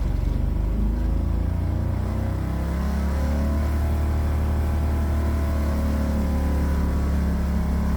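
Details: 1969 Renault R10, 670cc Predator two-cylinder, 25 hp, CVT, new dual 24mm OKO carburetors, driving: deep steady drone pulling evenly under load, smooth throttle, no knocks or misses; healthy engine.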